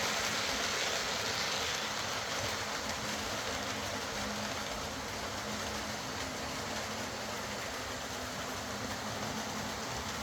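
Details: Old Lima Class 40 model locomotive in BR green, after repair with a completely replaced motorised chassis (original front bogie faulty, wouldn't run): steady even motor hum, light wheel rumble, no knocks, surges or grinding; quiet, normal smooth running.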